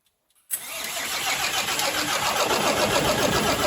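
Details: Volvo FH600 truck, 16-litre D16 diesel, first start after repair for cylinder rust and a bent valve, valves adjusted, fresh oil and antifreeze: fires instantly and settles into a steady, even clatter about four beats a second. Normal start and idle.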